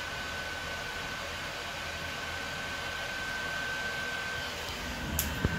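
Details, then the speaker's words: Early-model PS4 Pro sitting at the Modern Warfare menu: the stock OEM fan spools up into a rising airy rush with a thin whistle, the 'jet engine' under heavy load. Dusting and new thermal paste didn't help; the fix was an aftermarket replacement fan. "so with that just sitting at that menu the playstation is still pretty silent but i think i can already hear it starting to spool up you can hear it going now still getting louder"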